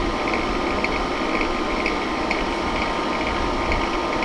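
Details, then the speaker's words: Honeywell ionizing HEPA room air cleaner used as a bedroom white-noise maker: steady fan rush with a fast, uneven ticking rattle riding on it, rattling fiercely; owner suspects something stuck unbalancing the fan. "But it's got another problem. It rattles. It rattles something fierce."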